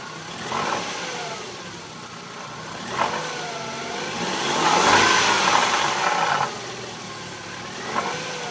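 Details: 2000 BMW 318i Touring (E46) revving from idle: light metallic rattle riding on top; source not pinned down.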